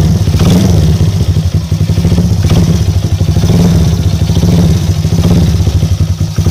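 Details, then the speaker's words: Motorcycle that was hard to start and ran poorly (semput) after a top-end service, after fitting a new spark plug: a steady, even low engine note with smooth firing and no stumbling; fault fixed, old plug was the cause. "Oke geng Alhamdulillah masalah setle cuma masalah plak yang membuatkan motor ini susah hidup bila dia hidup pun dia semput"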